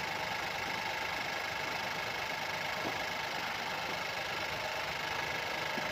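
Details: 2017 Opel Astra K, 1.4 petrol (1399 cc, 77 kW/105 PS, engine code B10XFL), 90,859 km, at idle: light, uneven rattling chatter over a thin hiss, caused by a stretched timing chain.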